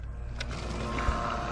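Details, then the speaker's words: Zoeller M53 sump pump (about 40–60 gallons a minute) powered through a 750-watt inverter from a new 100 amp-hour car battery, pumping about 35 gallons from a container through a 100-foot garden hose; steady low hum with faint even whir, no surging or knocking, running normally. "can hear it running so let's just follow this hose"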